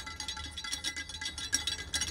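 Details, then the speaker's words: Salvaged anemometer (wind speed sensor) rotated by hand to about 3–5 m/s: fast, tinny metallic rattle because the shaft is missing its bearings. "so that's measuring in meters per second and you can hear that was probably here that was quite noisy because it's missing his bearings"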